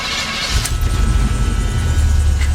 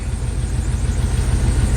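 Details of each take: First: Squarebody Chevy V8 with carburetor, after fitting used parts: deep rumble rising and falling on throttle with sharp pops on revs; owner suspects bumped ignition timing. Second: Squarebody Chevy V8 with a carburetor and its MC solenoid unplugged, after the timing was adjusted; the fuel filter is plugged and the muffler is possibly collapsed. Steady, even idle rumble with the earlier popping gone.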